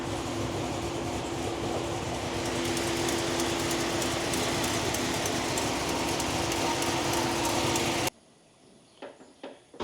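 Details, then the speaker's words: V8, likely supercharged (SLP TVS2300), with long-tube headers, what look like stock mufflers and an otherwise straight exhaust, idling very loud: a fast, sharp tick of about three or four per second rides over the exhaust. Sounds like a header (exhaust manifold) leak; mufflers to be fitted. "so sounds like it's got a little hitter leak but I'm fixing to put it on the lift and put some Mufflers on it"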